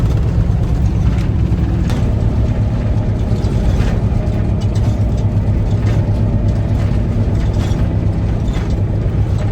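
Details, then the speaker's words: Converted school bus on test drive after 4 days of rear differential repair with shims and backlash set: rough, gritty low growl under road rumble with a faint ratcheting edge; same noise as before, problem not fixed, rear differential still failing. "so after all that work and 4 days of living at Walmart unfortunately the problem is still not fixed we're still hearing the same noise that we were in the beginning"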